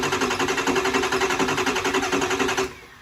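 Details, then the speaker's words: 600HP 6.0 Powerstroke crate diesel in a Ford Excursion: steady, even cranking at about three and a half beats a second with no firing, then it stops. It cranks with no start at 0 injector control pressure; oil level is questioned. "Well, I mean, it should be getting pressure. It's getting 0 injector pressure."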